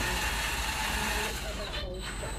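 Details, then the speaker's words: R2D2 dome drive with fixed 360kV brushless motor, 16:1 gearbox and styrene 96/12-tooth cog: even hum with motor tone shifting pitch with speed, no grinding; quieter than other combos, runs smoothly. "yeah it's working really well don't mind the minimum speed so much it's okay but the noise on this combo is definitely better so yeah 16 to 1 and this 360 kv"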